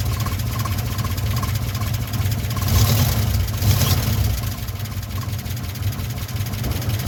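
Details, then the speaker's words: 1957 Chevy 5400 truck, timing just adjusted, pulling away in first gear: a deep engine growl with a faint gear whine from the straight-cut first gear, which is normal. "the the growl you hear the little wine is the straight cut first gear"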